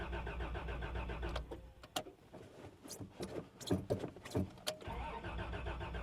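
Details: 1989 Toyota Land Cruiser barn find, sat 8 years, fresh gas added, first crank attempt: steady starter cranking with clatter, engine never catches; oil pressure rises but no fuel pump heard; cranks but no start, cause unconfirmed.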